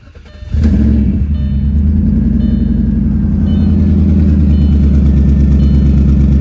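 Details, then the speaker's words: Audi A6 4.2 V8 cold start on a snowy night, with a bad flex pipe, a bad O2 sensor and spark needed: fast idle with a puffing tick riding the firing rhythm, an exhaust leak at the flex pipe. "let you guys get a cold start with the bad flex pipe and um bad flex pipe and o2 sensor and needing spark"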